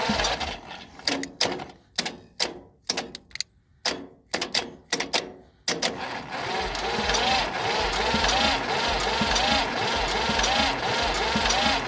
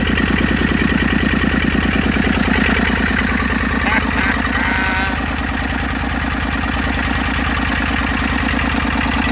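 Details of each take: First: Massey Ferguson 35 three-cylinder diesel, freed after sitting 20 years seized with water, fed from a temporary pressurized tank: jumped starter turns it over slowly and unevenly without firing, too slow to build compression. Owner suspects the starter is failing. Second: Massey Ferguson 35 three-cylinder diesel, seized with water for over 20 years in the woods, first run with no coolant and fuel leaks, burning off oil: steady even clatter about three beats a second, no misses; normal diesel idle.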